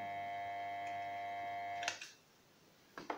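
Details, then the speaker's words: KSB Multi Eco garden water pump plugged in: steady continuous electrical hum, motor doesn't start or spin at all; start capacitor (12 µF 450 V) found burst inside its housing. "voilà ce qui se passe donc ça veut dire que le moteur ne démarre pas du tout et il fait un bruit continu"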